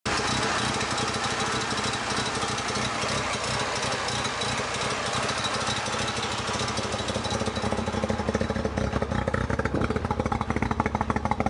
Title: Rx7 rough idle and white smoke